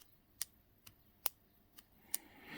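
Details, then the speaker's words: Honda CB750 right-hand switchgear (kill switch) after the detent ball was reseated during repair; five crisp, separate clicks about half a second apart as the switch is moved, detent working properly; normal switch detent click. "push it down i can actually feel the indent working so that's all good that part of it you can actually hear it now look"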